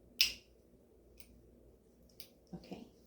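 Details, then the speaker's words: Omnipod 5 insulin pump pod priming after filling and pairing: a handful of sharp, isolated clicks about a second apart in a quiet room, normal operation. "it's priming. Getting the insulin where it needs to go."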